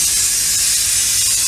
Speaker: You can uh, hear the air dumping out of the suspension right now. That hits a noise.